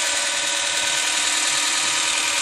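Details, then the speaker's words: BMW E39 EV conversion, V8 removed, electric motor turning the rear wheels for the first time: even high-pitched whir at constant speed with no knocks or grinding; normal electric drive run. "so this is a first first time that the old land yacht has uh had its wheels torn by electromagnetic drive"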